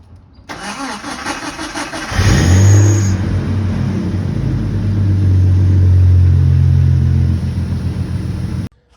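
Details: 1988 Jeep Comanche with the 4.0L inline six, before starter replacement. Slow, labouring crank at about four turns per second for over a second before it catches and runs: the starter is failing.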